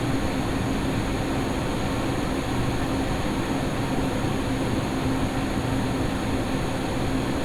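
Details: Lian-Li O11D Mini PC case with XPG Vento Gentle Typhoon fans, fan curve capped at 1900 rpm, after a duct-tape mod, microphone in the same position; steady, even rush of air with a faint low hum and no howling. Normal case fan airflow.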